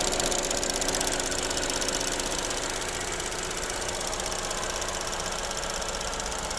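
Fast, fairly regular metallic rattle, about three a second, over a steady idle; the source of the rattle is not known.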